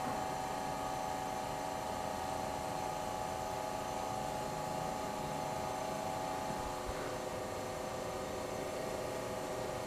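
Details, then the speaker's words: Old GE Monitor Top refrigerator CK-2-C16, charged with three cans R152A, high side about 175 psi: steady even hum with faint hiss, no knocks; evaporator getting cold, motor load dropping; compressor running normally. "It's more than it did yesterday. It's a different noise. Evaporator's getting cold."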